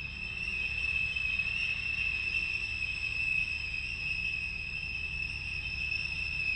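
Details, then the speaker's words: Porsche Boxster 987 recording replayed from a phone: steady, piercing high-pitched screech from the rear of the car over a low engine rumble, heard when the oil pressure warning light came on; source not yet identified. "hear that that's the actual noise the car was making pretty loud"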